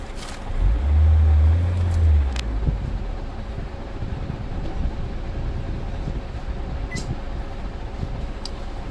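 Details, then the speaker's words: 2016 Nissan Altima that had key light on with no crank, no start, after repairing ECM wiring at pin 109: low steady hum with even pulses, no misses, knocks or rattles; starts and idles normally. "गाड़ी बिल्कुल सही start है। गाड़ी बिल्कुल सही है।"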